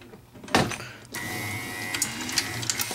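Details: Betson claw machine after limit/home switch repairs: steady light motor whir with a few sharp clicks as the claw moves, no strain or grinding; normal claw operation.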